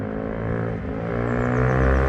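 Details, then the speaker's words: Rescued motorcycle on a test ride: clean, even pull with pitch climbing steadily as speed builds, no stutter or knock; normal acceleration. "oh you can hear it nothing wrong with it oh that's running"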